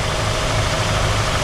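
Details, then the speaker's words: 1967 Ford Galaxie 500 V8 with carburetor problems: steady low idle with faint airy hiss and slight unevenness, idle screws still all the way down; vacuum leak sucking air somewhere. "it's sucking air somewhere. The idle screws are all the way down still."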